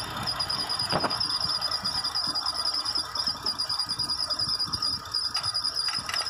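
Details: Mitsubishi Nativa idling: thin high chirping squeal from bent water pump at normal operating temperature, with uneven light ticking from accessory belt auto-tensioner knock; fix: replace tensioner and water pump.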